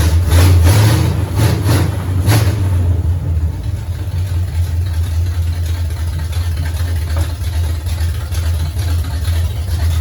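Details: 1969 Pontiac GTO barn find with Grand Prix V8, TH400 and Quick Fuel 750cfm carb, after 17 years sitting; deep steady rumble with throttle blips then even idle, alternator charging 14 volts, smoke probably from fluid burning off the headers, some valve-cover blow-by. Runs pretty good.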